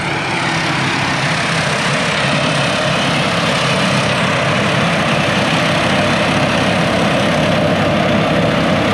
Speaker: i noticed this morning there was some sheet metal that had cracked just from vibrations over the years so that's the noise you hear it's nothing no bearings or nothing going out it's just a sheet metal that was cracked